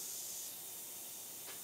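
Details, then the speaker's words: Wheelbarrow tire with two drilled holes packed with Flex Seal glue, being inflated: steady high hiss of escaping air, leaking from somewhere, apparently not from the glue; only about 11.5 psi held against the leaks. "already leaking from somewhere yeah it's leaking leaking from the plexi I don't think it's leaking from the flux glue"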